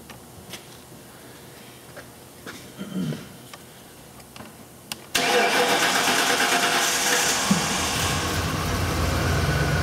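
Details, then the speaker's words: 1999 Mercury Mountaineer 5.0 with P0171/P0174 codes: a long crank and a little intake pop, then a rough idle, showing a lean condition from low fuel pressure; the fix was replacing the fuel pump and filter. "the long crank time, little pop in the intake. I don't know if you heard it, but those are all symptoms of a lean condition."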